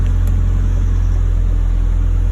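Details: Toyota Celica ST185 GT4, all fixes done and no fault codes, warming up before MOT retest: steady even low rumble with no knocks, misses or whine; normal idle.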